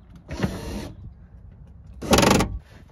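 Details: BMW E30 power window motor after cleaning old grease from the regulator and regreasing, gear seated in its track: two short, even half-second whirs, smooth with no grinding or clicking; runs freely.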